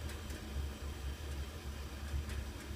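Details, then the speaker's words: AFCO natural-gas gravity-feed furnace (apparently 1948–1953, no fan), basement: soft, steady low roar without popping or surging; normal burner operation, back section firing before front, flames uneven and owner suspects burner needs cleaning. "There's the burner. The flames aren't super even. I imagine that burner could use a cleaning or something, but that's basically all this thing is fire in a metal box."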